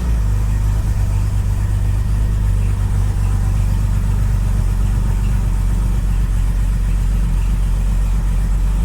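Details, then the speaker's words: Classic car with a Bosch starter: it starts reliably within half a turn of the engine, then runs a smooth, even low idle with no misses, knocks or rattles. Normal idle. "It is starting so reliably. We're not having to crank it, it's starting within half a turn of the engine."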